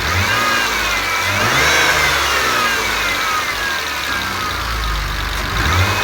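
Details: BMW E34 M50B20 warm (not fully at operating temperature), idling and blipping: light, fast top-end ticking that follows engine speed. Owner suspects hydraulic lifters or injectors despite oil changes (10W-40); an oil pressure test is planned.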